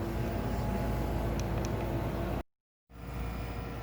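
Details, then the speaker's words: Tenney Benchmaster test chamber (range -73 to 200) set to its lowest setpoint of -73: the refrigeration switches on, giving a steady low compressor drone and a faint even hum with no knocks or rattles. It is pulling down normally. "So right now we're going to set it to minus 73. You can hear that the refrigeration turns on."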